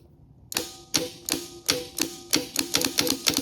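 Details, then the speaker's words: Known-good 2JZ starter for a 2JZ-block 1990 Toyota Supra MK3 (JZA70), tested with a remote starter switch: sharp dry clicks about three a second, solenoid engaging with no cranking. "Now, you can't hear it, but this is making a little thunk sound. So it's trying to engage the starter, it's just not doing it."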